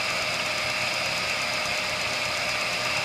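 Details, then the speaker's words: ESO 100 small centerless grinder (100 mm wheel) running its automatic cam cycle: steady, even wheel hiss with a clear high ring, no knocks or chatter; normal grinding cycle. "there's also a cycle we can turn on uh there you go wants to do it on its own going around the cam now that's"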